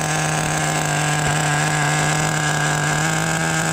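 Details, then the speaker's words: Team Losi XXX-NT nitro RC engine, deliberately run a little rich to get fuel through it, with the glow plug starter left in; it runs very cool. A steady high buzzing note with no clean rev-up, typical of rich running. "so this motor I have to run it a little bit Rich because I'm basically just trying to get a little uh fuel through it right there but it's running very cool"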